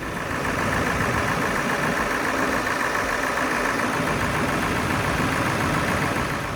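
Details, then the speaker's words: Normal diesel idle of a 2000 Ford Excursion 7.3 Powerstroke after a crank-no-start fixed by PATS delete on the original PCM (PCM tested fine); even steady clatter, no misses or knocks, healthy. "And now that we got it running again, time for a little cleanup."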